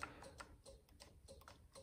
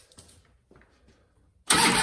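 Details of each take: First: 1999 Harley-Davidson Ultra Classic with the jumper removed: light, quick clicks at the start button but no cranking. The ignition switch (71526-93B) failed, with no voltage on the ignition wire. With a jumper fitted across it, the bike starts. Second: 1999 Harley-Davidson Ultra Classic with a failed ignition switch, bypassed with a jumper on the ignition wire: faint clicks, then the engine cranks and catches with a loud burst, a normal start. The switch is being replaced with part 71526-93B.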